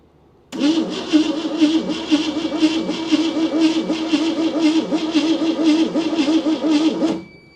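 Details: 1971 AMC Gremlin sitting since about 1984: steady starter cranking about two beats a second for six seconds, engine never catches; spark tester showed weak spark, suspected low battery voltage, not confirmed.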